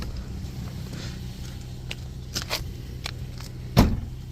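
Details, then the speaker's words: Infiniti FX37/QX70 idling in gear after installing ISR Y-pipe (370Z part): low smooth steady rumble, no metallic exhaust rattle; rattle, previously heard under load, traced to the old Y-pipe. "still can't hear anything"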